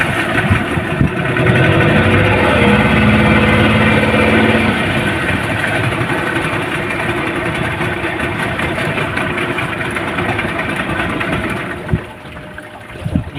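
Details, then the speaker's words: Yamaha 15 hp outboard at full throttle drones flat and uneven without climbing in pitch, then sags off; hard starting and total loss of power from a weakened ignition coil and clogged carburettor. "dia mesinnya seperti itu kerusakannya susah hidup kemudian digas tadi seperti ini sama sekali hilang tenaganya"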